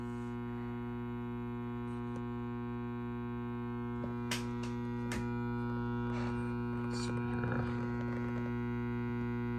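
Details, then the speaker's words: Fender Deville 410 tube amp, warmed up, off standby, power tubes pulled: steady low mains hum with buzzy edge, unchanged at idle, still coupling to output transformer; leaky reservoir filter capacitors letting ripple through. "you turn it on still hear the buzz which we do you have to think okay there are no tubes there but something is still coupling itself to the output Transformer"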